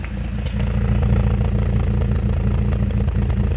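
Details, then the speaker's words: BMW E46 N42 at idle, heard at the exhaust before repair: uneven idle with irregular coughs and stumbles, shaking badly; misfire from a faulty oil separator. "gitu Dia suaranya terasa batuk-batuk di RPM dia kayak kelihatan anteng tapi dia terasa dunyal-dunyal gitu Dia kayak grit grit"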